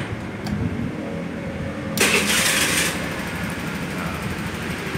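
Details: Honda Vario 110 scooter after fixing hard starting with tek-tek-tek starter clicking (jumping wires rather than replacing battery): idles, brief starter whir fires it cleanly, settles back to idle.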